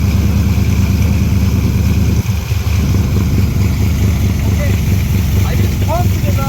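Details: Big block Ford V8 with a 750 CFM Brawler carburetor, choke set, started stone cold at about 30°: deep, steady low rumble with even firing, no misses or knocks; fine cold start idle.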